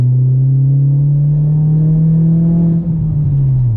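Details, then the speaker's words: MK4 VW Golf GTI turbo under full-throttle acceleration after replacing a sticking N75 boost valve: deep steady engine drone climbing smoothly, boost now holding 7–8 psi instead of 5, pulling with no hesitation; normal acceleration, though an inlet leak remains on the new valve. "everything seems perfect cars pulling with no hesitation it just keeps on going like a train"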